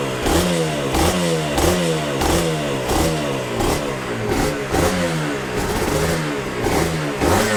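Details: Yamaha TZR 250 3XV 1990s two-stroke, first start after wreck-to-runner rebuild, in neutral: throttle blips about every 1.5 seconds, revs rising crisply and falling back cleanly to smooth idle; healthy, responsive, normal running.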